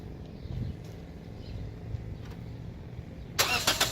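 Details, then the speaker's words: 2014 Toyota Corolla LE 4-cylinder, first start right after fitting a new battery: several seconds of low, uneven cranking before it catches with a loud burst. Delayed start, likely because the ECU needs time to power up after a battery change before cranking. "So as we saw there, the car didn't fire up right away. One of the main reasons is because after you change out your battery, you shouldn't just go right into starting the car like I just did."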